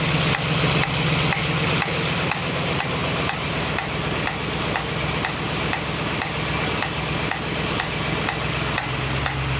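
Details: 1965 Mustang GT Convertible V8 running after installing a Tuff Stuff 7068K 140 A one-wire alternator, fan on: a new steady frying hiss with light regular ticking, seemingly from the carburetor; cause unknown.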